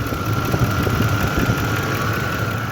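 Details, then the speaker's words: Truck's Hemi V8 at idle, one bank sounds new, the other has a faint quick tick-tick clack from the valve cover area; top-end tick of unknown cause. "this side sounds perfect this side has a very like it's noticeable like if you move over to this bank it sounds like it's brand new and if you move over to this side you hear a definite tick tick tick clack clack clack"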